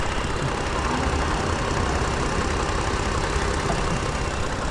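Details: 2018 Toyota Sienna with replacement engine, after fixing a loose ground that caused a crank-no-start: engine settles into an even, steady idle hum without stumbles or misses under background noise; runs normally.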